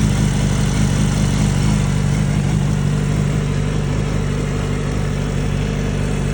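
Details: Yamaha R6 RJ11 at idle; coarse uneven mechanical clatter over exhaust note, weird noise of unconfirmed source: abnormal engine noise.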